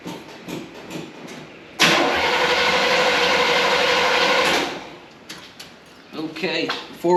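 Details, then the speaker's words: 1972 Chevrolet Impala with original points ignition, parked due to a severe misfire: starter churns steadily for nearly three seconds with no firing; cranks but won't start, no spark suspected, to be checked with an inline spark tester. "uh kill a battery here it's turning over I'm not here and Spark so I think we're going to start there"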